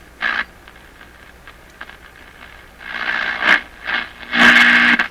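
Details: Crosley 43FB battery tube farm radio, first power-up after 50 years, A and B voltages good, dial swept by hand to the high end: bursts of hiss and whistling with quiet gaps between. The set is receiving and working.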